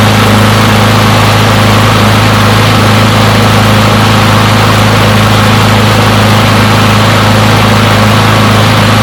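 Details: Push mower, non-running after sitting a long time, finally started and left running to warm up: loud, steady drone with even firing, holding speed without surging or stumbling; runs pretty good.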